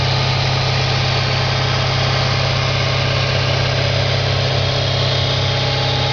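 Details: 2004 Audi S4 4.2L V8 at idle, gauge showing over 100 psi at idle: a deep idle rumble with a regular light knock, roughly two per second; engine knock at idle, cause not yet identified.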